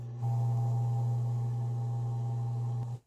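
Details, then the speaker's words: Garbage disposer (food disposer, Badger/InSinkErator type) switched on gives only a steady low hum, no grinding or spin-up; jammed by a beef rib bone, its overload has tripped, so turn the drum with an allen key, remove the bone, press the reset button. "sometimes when you turn that switch on you'll just hear a low hum that's actually a good thing that means that that machine has Auto killed itself"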